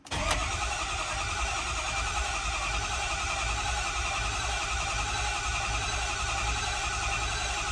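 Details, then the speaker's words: 2010 Ford F350 6.4 Power Stroke diesel, first start attempt after a head and ARP head stud rebuild with all lines removed: steady cranking churn for about eight seconds that never catches; no start, which the owner suspects is air in the fuel system. "all right let's see if we'll start no start it's still probably air in the system"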